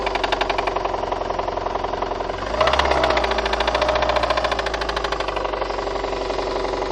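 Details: VAZ 2114 engine with seized connecting rod bearings on cylinders 2, 3 and 4, plus burnt valves. Rod knock: a hard, rapid metallic knock at a couple of raps per second over idle, swelling on a throttle blip.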